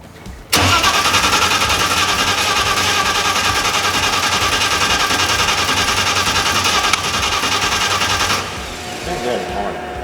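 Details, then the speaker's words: Full carbon R32 GT-R with 3.4L RB engine and MoTeC ECU, first start: catches hard then loud, lumpy, uneven run; sounds out of time, timing suspected, not confirmed. ">> It does sound out of time. Sounds like it's not time drop."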